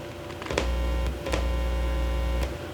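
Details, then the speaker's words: Heathkit AA-100 amplifier under restoration with new can capacitors and circuit board, first power-up with bias pots turned down: steady low hum with faint buzzy overtones in both channels, rising when the input is touched; bad solder joints. "I've got a little bit of sound there hear it a little bit of hum in the right Channel so let me do the same thing on the Left Channel there's a little bit of a hum there"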